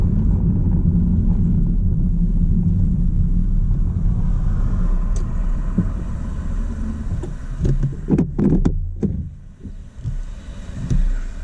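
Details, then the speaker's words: Honda CR-V RD1 with a failing main relay behind the glove box: a steady engine rumble while driving sags and fades to scattered clunks as the engine dies. It then restarted. "Okay, so it's just died on me while driving. Now if I try and start it, oh, it did start again."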